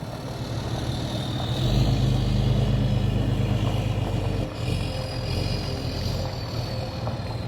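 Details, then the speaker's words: 6.7 Cummins hotshot truck, probably a 2017, after injector replacement: free revs with smooth, even diesel note and a clean rising whistle as the VGT turbo kicks in, no misfire; healthy running, though the truck still needs a retune. "Give her some free revs. Sounds good. And then the VGT kicks in. There we go. Hear him take off. Sounds beautiful."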